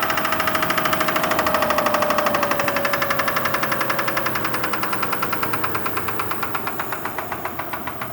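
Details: Kia Sorento at idle: steady, sharp, even knock at about two per second over the engine. Sounds like piston pin knock; unconfirmed.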